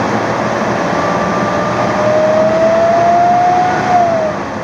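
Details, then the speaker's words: 2001 Mazda B3000 pickup, worn fan clutch stays engaged so the fan turns at engine rpm: loud steady whooshing fan roar rising and falling with engine speed; fan clutch stuck engaged, to be replaced. "what's happening is the clutch wore out and now it just stays engaged so the fan is running at the same rpm as the engine"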